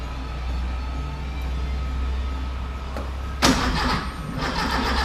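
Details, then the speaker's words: Car cranking on start spray: turns over steadily with a brief cough but never catches; spark timing is suspected to be off, too advanced or retarded. Later fixed by rewiring the spark plug leads. "Now, see how, could that be the spark at the wrong part of the cycle? Too advanced or retarded or something, but it's not firing at the right time."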